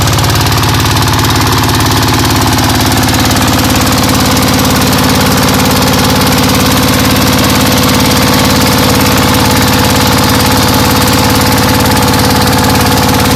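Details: ZS125 single-cylinder diesel after the camshaft gear repair for ticking and misfiring, warming up: a steady, even thump at about three to four beats a second with no ticking or skips, idling cleanly.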